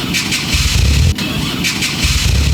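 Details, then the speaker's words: 1990 JDM Toyota Supra JZA70 with a 1.5JZ (2JZ block, 1JZ head), cold cranking: uneven chugging with coughing, sneezing puffs; owner suspects a bent or stuck-open intake valve, and compression and leak-down tests revealed major problems. "I'm not sure if you guys heard it or not, but when we were cranking over the car when it was cold, it was making this coughing, sneezing type of sound."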